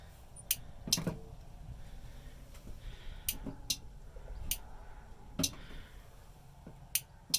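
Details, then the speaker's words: Turbo Pinto with rear-mount battery, starter button pressed with main power on, 10 A fuse on starter relay circuit, engine not running: quiet room, a few sharp separate clicks as the starter relay switches properly. "drop the main power and without grounding anything out i'm going to push this and you'll hear this relay click"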